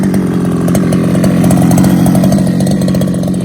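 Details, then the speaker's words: Losi 5ive-T 2.0 two-stroke, warmed up, with Mechanic Sauce: crisp even buzz holding a steady high pitch, no stumbling or surging; running well. "i got it in it's warmed up starts great so i can start showing you how the truck handles and how it sounds with the mechanic sauce"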